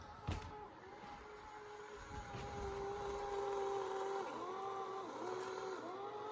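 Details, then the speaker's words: Bissell ICONpet robot vacuum returning to its dock on carpet: steady motor whir with a thin high squeal near one kilohertz that dips and wavers as it turns, a slightly squeaking drive wheel; cause not confirmed. "The wheel's squeaking a little bit. I don't know if you can hear that."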